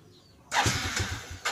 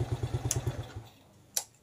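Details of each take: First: Yamaha Jupiter Z motorcycle with high fuel use, weak power and sputtering: starter cranks in a rough pulsing run for about a second and barely catches, very delayed response; hard starting from worn, dirty carburetor needle. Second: Yamaha Jupiter Z, after fixing sputtering, heavy fuel use and weak power traced to the carburetor needle: engine snaps up crisply on each throttle blip, drops to a quiet idle and revs again cleanly with even firing; normal running.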